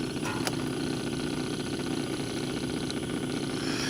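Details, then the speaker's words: Homemade drip-fed stove burning a fuel oil and kerosene blend, cast iron pipe with quarter-inch holes near the bottom and six lava rocks inside; steady even roar after refiring as fuel rises up the tube, no surging or popping; normal burner roar. "so right here she fired up again you can hear a roar and right there as you can see the fuel coming up the tube"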